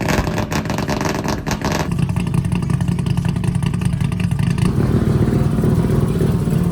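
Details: Mazda RX-7 drift car, 13B two-rotor peripheral-port engine, after installing new FT Spark ignition to fix weak spark: loud raspy rotary bark holding a fast steady idle with crisp rapid pulses; fires and runs cleanly.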